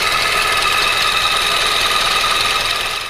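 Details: 2004 Chevrolet Cavalier after an engine swap, idling: fast, fairly steady ticking about four per second over a sharp, hissy idle; owner suspects the timing chain needs readjusting, or a loose exhaust; cause not confirmed.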